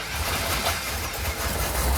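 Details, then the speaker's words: First fire-up of a restored 1970 Dodge Coronet convertible: deep, even V8 rumble holding a steady idle without misses or knocks before warm-up; healthy. "Woohoo! Yeah. Boy, that sounds good. I'm gonna let it warm up."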